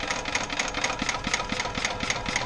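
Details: Gas-powered golf cart after repair, small single-cylinder engine started via pedal: even, quick popping beat about four firings a second, steady and unbroken; running normally.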